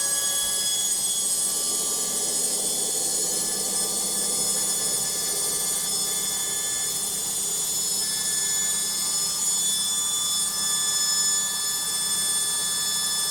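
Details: Logik washing machine on spin: a high, steady whine with a thin metallic edge rides over the spinning drum, much louder than a normal spin; cause unclear.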